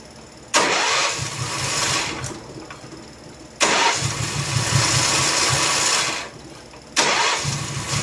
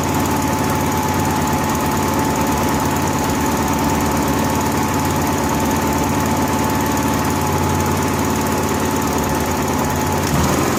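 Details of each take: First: Honda gasoline-powered welder generator catches on each crank, runs rough a second or two, then dies; fuel starvation, fuel shutoff valve rated for natural gas rather than gasoline. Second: Honda gas-powered AEC welder generator with ongoing fuel-delivery trouble, running warm on a temporarily plumbed electric fuel pump jumpered to the battery: even, unbroken drone for eleven seconds with no surging, stumbling or dropouts. Fuel delivery keeps up and it runs normally.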